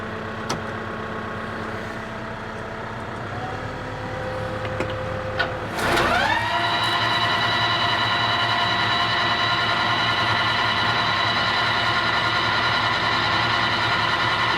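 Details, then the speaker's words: Tractor-driven grass mower for hay spun up after setting belts and greasing PTO joints: engine note climbs as the drive engages, then settles into a smooth even whine with no banging or crunching; runs normally. "sounds like a mower no banging crunching or non no mote [Music] noises"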